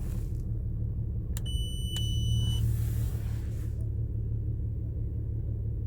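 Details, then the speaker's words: Rough, uneven idle on an Infiniti (owner calls it the 37 model): deep loping rumble with a brief chime; bank one runs lean, switching fuel evened the mixture but the shaking persists, no misfires counted yet. "Трусить її не перестало. Як трусило, так і трусить."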